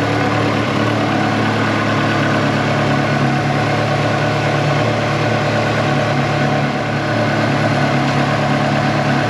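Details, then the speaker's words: Ferrari 360 Challenge Stradale Spider V8 idling during fault tracing: steady idle with constant low drone and even hum underneath; belt tension feels okay and WD-40 on the pulleys did not remove the noise; source still unknown, abnormal noise at idle. "fired up the engine and uh checked the belts the tension on all of those kind of feels okay at first touch and next thing we've done is fire it up spread a bit of wd-40 on just the pulleys here and again the noise is still there"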